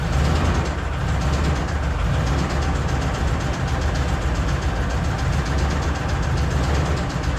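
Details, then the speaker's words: 1981 Chevy Corvette V8 idling after engine reinstall and a timing correction of about a tooth: faint, fast light ticking over a deep steady idle. A loose passenger-side rocker arm was found; owner fears a bad lifter or cam lobe. "But I want want to adjust those lifters again because they are ticking big time. But she runs."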